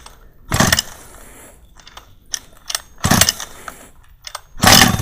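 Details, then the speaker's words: Large-scale RC car two-stroke gas engine, cold start with choke closed 90°: three rough pull-start bursts, the last popping briefly then dying, the expected first pop on choke before opening choke. "what we're looking for now is to hear the engine spark it's going to die immediately but we want to hear that popping sound we should get that in about three PS or so"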